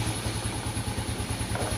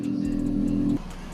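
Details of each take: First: Yamaha Vega Force that was hard to start and heavy on consumption, after replacing leaking valve stem seals restored compression; starts, revs briefly, then settles into a steady even putter at about three beats a second, idling normally again. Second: Yamaha Vega Force (2003) with owner-reported hard starting, easy once running: about a second of brisk, even cranking that stops without catching. Low compression from a leaking exhaust valve.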